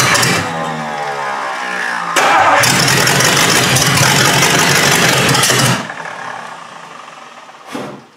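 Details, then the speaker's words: 1953 Hemi engine with its old carburetor fires up and runs smooth and even for a few seconds, then is shut off; normal idle, sounds good. "It sounds pretty good. And sits there in the idle. Who would have thought that old carburetor? I never thought that thing would idle."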